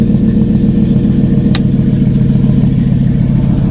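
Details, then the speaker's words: GM V8 jump-started from a dead 7.9 V battery, with the original intake: deep, steady burble with an even beat and no ticking or knocking; smooth, normal idle. The alternator charges at 14 V and the AC blows cold. "Oh, this is nice. This is real nice. Listen, that thing purr."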